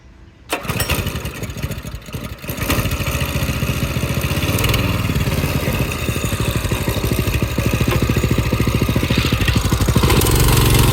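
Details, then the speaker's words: Go-kart small petrol engine with a newly installed carburetor: clutch sounded like grinding gears when climbing a small hill; at startup a harsh gravelly grinding rattle rides over the rapid putter; cause suspected, not confirmed. "I was trying to go up this little hill and the clutch sound like it was grinding. Sound like gears are grinding."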